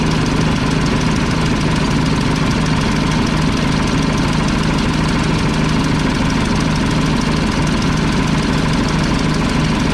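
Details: Old Mack tank truck, probably 1995, 122,000 on odometer, diesel after retightening injector lines: rough uneven idle, a cylinder missing; owner suspects a loose injection pump delivery valve, unconfirmed.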